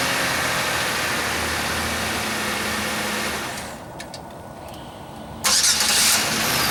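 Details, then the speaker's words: Chevy Venture 3.4L V6 first start after replacing the harmonic balancer and refitting the belt; sputter was possible while the computer adapts, but it catches quickly with no stumble and settles into an even idle; normal. "alright so this star right up so apparently that harmonic balance will match the computer settings or we just got lucky"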